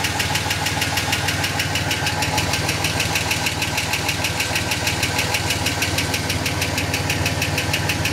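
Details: Ford EF Falcon XR6 six-cylinder at idle: sharp metallic ticking about three per second, worsening over time and more mechanical than first suspected exhaust leak; seems near flywheel/gearbox/extractors-cat, speeds up with road speed; source undetermined.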